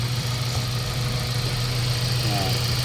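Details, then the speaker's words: Mazda 3 1.6 four-cylinder after cylinder head work, a badly warped engine block having damaged a valve: steady low idle hum, even beat, no knock or miss, checked for coolant bubbling; normal idle. "tingnan natin kung ah matining na yung andar ng ating Mazda Tre at kung wala n bulwak"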